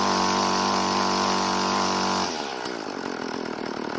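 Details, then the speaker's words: Craftsman two-stroke string trimmer after replacing broken fuel lines: a crisp high rev drops smoothly to a steady, even idle with no stumbling. It is running normally; only the idle speed may need adjusting. "luckily it seems to be running very well so i'm not going to make any adjustments at least until i do another start after it cools down"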